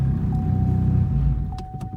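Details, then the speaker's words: Big-turbo Chevrolet Cobalt SS on E85, right after a cold start: low, lumpy idle pulsing unevenly and sagging near stalling; mild misfire, choppy under boost, check engine light on; owner suspects gummed-up spark plugs. "so yeah I know that's the thing but it does misfire a little bit it's not like a bad misfire"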